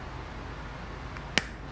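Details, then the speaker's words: Torque screwdriver set to 36 gives one sharp, loud snap over room hum as its clutch slips, louder at this higher torque setting; it releases properly before torquing breaker wire connections. "and you can hear how it's a nice loud snap because it's a higher torque setting so the screwdriver is ready to go"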